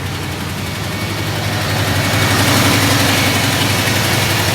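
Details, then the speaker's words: 1971 Ford F250 V8 running after about a gallon of gas added, fuel line and battery cables fixed. Even, steady idle with a smooth low rumble and no misses. Normal idle. "Alright, we're running. Let's hope it has enough to prime it from the tank."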